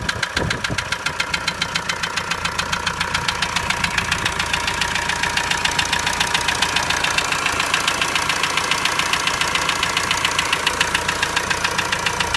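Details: Renault 2.0 dCi 150 diesel at idle: sharp, very even ticking about three and a half per second, an abnormal engine noise; cause not pinned down.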